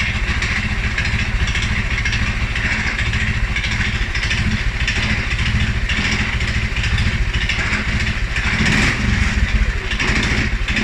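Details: 2011 Polaris Sportsman 550 XP, EFI: single-cylinder thumping unevenly at low speed, beats wandering and stumbling instead of settling; stumbles cold on startup and after riding or revving. Dealer found TPS, IAC, TMAP in spec; valves, timing, new plug, 43 psi fuel pressure good; cause unknown.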